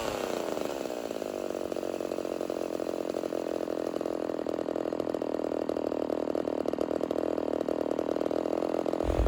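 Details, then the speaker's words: Rebuilt Homelite Super XL 130 chainsaw warming up during tuning: buzzy, slightly hunting idle climbing as it warms. The low-speed circuit leans out toward starving and possibly stalling, needing mixture compensation. "Now, as the saw starts warming up, you're going to start seeing it lean out on this low speed circuit. In fact, it should lean out to the point where it starts to starve and possibly shut off on me."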